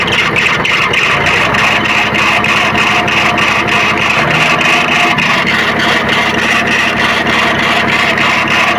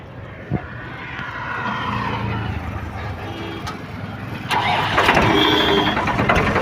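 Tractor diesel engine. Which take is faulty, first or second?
first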